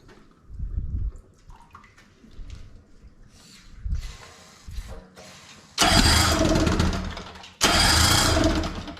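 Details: 18 hp Evinrude outboard sitting in water after the carb was refitted, air screw still being adjusted: it catches in ragged bursts and runs hard, then dies each time. It surges and cuts out; owner suspects fuel supply, since the primer bulb helps briefly.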